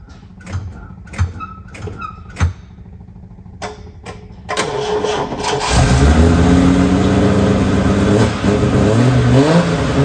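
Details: TVR 2500M classic car during a jump pack test: several clicks and short cranking bursts, then catches and settles into steady idle with clean blips; healthy start.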